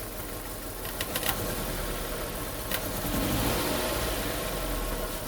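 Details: Hyundai Getz mk1 1.3 12-valve petrol with two dead cylinders, losing power: idles roughly with an uneven, lumpy low thump while spark plug leads are pulled; spark present, misfire at idle.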